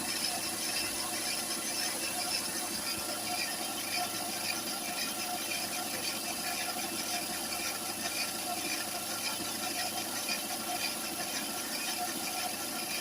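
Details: Citroën C4 recorded cold: a steady high-pitched fluttering whir over a quiet idle from the timing belt area. The noise faded once warm; the new tensioner fitted at a recent timing belt job was oscillating excessively.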